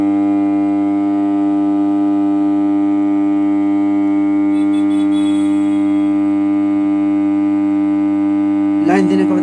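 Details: Home theater amplifier using TDA2030 ICs (ICs OK) and a transformer: loud, constant low buzzing mains hum from the speakers that never changes.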